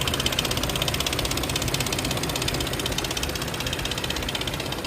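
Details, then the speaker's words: Infiniti QX60 3.5 V6, all-wheel drive, 113,000 miles, running; fast busy metallic rattle about four times a second over the engine, suspected timing chain rattle, not confirmed. "and here I have a mighty Infiniti QX60 3.5 onwheel Drive ghetto Wheels with timing chain [Music] rattle"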